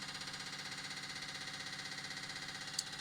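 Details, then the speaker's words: Chevy 2500 with 6.5 diesel after DB2 injection pump replacement (old pump's fuel shutoff solenoid blew apart), engine off: lift pump run on auxiliary switch clicks steadily about 2.5 per second while priming fuel to the injection pump; normal priming. "But I wired in this little auxiliary switch here, and I'm sure you can hear that pump clicking away down there."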